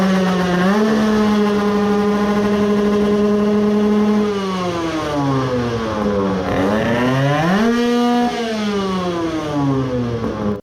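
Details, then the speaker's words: 20 hp tuned AM6 two-stroke moped engine whose main bearings the owner had thought were glued by hardened resin; after forcing it round with a ratchet it restarted and revved cleanly, buzzing smoothly up and down with the throttle, sounding normal, even better than before. "then I forced it to rotate with a ratchet then it started and it sounded normal again. now it sounded even better than before"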